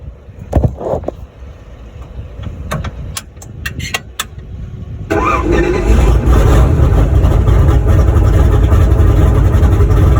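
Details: Boosted V8 black truck, freshly rebuilt after a head gasket blew at 11 psi boost, first start. Some clicks and clatter, then it fires at about five seconds and settles into a steady, even idle with no knocks.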